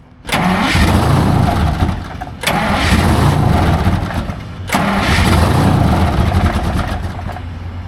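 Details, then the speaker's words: Detroit Diesel 12-cylinder semi truck, previously missing from diagnosed low fuel pressure, after changing and filling the fuel filters and replacing the primary fuel line: starts three times and settles to a steady, even clatter with no stumble, running on all 12. "Sounds a lot better. Way better. Much better. >> Sounds like it's running on all 12."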